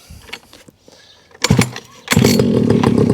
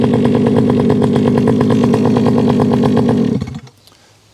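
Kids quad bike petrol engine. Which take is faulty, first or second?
first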